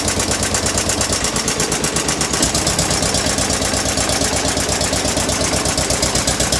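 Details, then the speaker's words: Western Electric 15B light plant single-cylinder engine under a 25 A resistive load; steady chug near 170 beats a minute with busy mechanical clatter, pulling evenly; normal running under load. "and then you'll hear the generator actually come under load"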